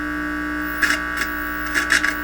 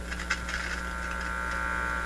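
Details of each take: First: Heathkit IT-12 signal tracer, donated unit on checkout, volume turned up with only the probe connected: constant low electrical hum with a faint buzz through its speaker, plus a few handling clicks. Mains hum; the unit appears to work. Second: Heathkit IT-12 signal tracer on the bench: steady low buzz at mains frequency with faint crackles as the ungrounded probe is held near; the probe is just picking up mains hum, which disappears when grounded, unit fine.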